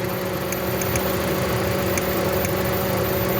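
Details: 2017 Toyota Corolla that broke down on the road, idling with an uneven, lumpy beat and irregular stumbles, a dead-cylinder misfire at idle; ignition coil being checked, and a fuse and coil were later found faulty.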